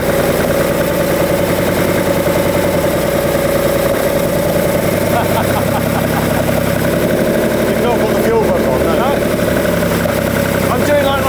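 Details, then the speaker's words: 1971 Lamborghini Espada Series II V12, barn find revived from stable storage on a non-standard fuel pump, with a split, weeping carb fuel-line union: after earlier pops and bangs it settles to an even, smooth, quiet idle with no misses. "hey listen to that herself so so quiet and happy the sweet little Italian kitten that is amazing"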